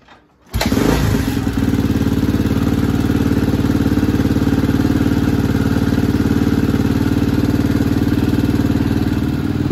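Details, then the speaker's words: 1987 Honda XR250 trail bike with good compression and a leaking fuel tap, on the flipping stand for a gearbox check: brief crank then a steady, even thumping single-cylinder idle, no knocks or rattles; runs healthy. "Flipping stand for the gearbox check, which is a bit silly, but anyway, it does run proper good, he says."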